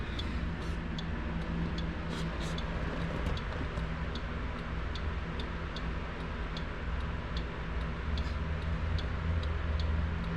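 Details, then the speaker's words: 1966 Ford Galaxie 500 convertible, after replacing the turn signal flasher (the old one blinked too quickly): crisp, steady ticking about two clicks per second over a quiet engine rumble; new flasher working normally. "I changed the turn signal flash or two this is what was in there I mean it still works it just blinks the light kind of quick so now it's a little more you can hear it"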